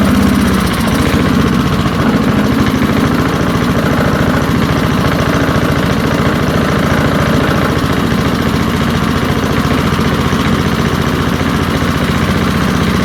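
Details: Early-1970s BF Goodrich push mower, a barn find that sat for years with a seized engine, now freed and running outdoors after carburetor diaphragm work: a steady, even putter throughout with no misses or knocks. Normal running.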